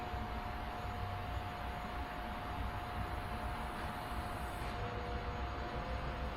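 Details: Car fuel pump, newly installed with underbody AN lines and filter, running after a wiring fix; steady thin electric whine at constant pitch, no stutter; pump builds pressure normally, gauge reaching about 4.5 psi.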